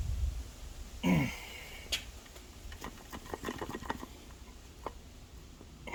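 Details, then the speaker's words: 2000 Toyota Camry A140E transaxle, removed, turned by hand at shaft: loose irregular clicks and clunks like everything moving inside; torque converter suspected broken internally, possible metal shards in transaxle; internal rattle. "sounds like everything inside of it it's moving around"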